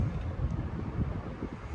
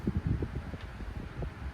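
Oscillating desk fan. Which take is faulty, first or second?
second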